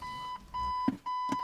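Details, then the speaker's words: 2011–2015 Ford Explorer opened with emergency key due to dead key fob battery: steady high beeps about 1 kHz, half-second on with short gaps, in quiet cabin on door opening; anti-theft pre-alarm warning before the fob is placed in the console transmitter pocket. "So you hear the vehicle beeping at me there."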